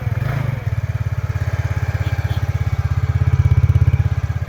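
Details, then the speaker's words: TVS Ntorq scooter after refitting a loose nut blamed for a loud one-way (clutch) noise: steady, even idle putter with clean regular firing and no rattle or knock; noise fully eliminated. "जैसा कि यहां पे हमने जो है इसकी आवाज को जो है पूरी तरीके से बंद कर दिया है। कभी-कभी जो है इस नट के कारण जो है काफी आवाज आता है।"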